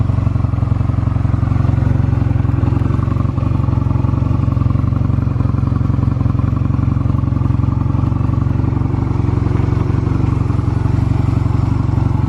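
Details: Stored Honda Rebel 250 Special (MC13-1103) start-up check: even, steady thump at a fast idle with no ticks or knocks; normal idle, no abnormal engine noise.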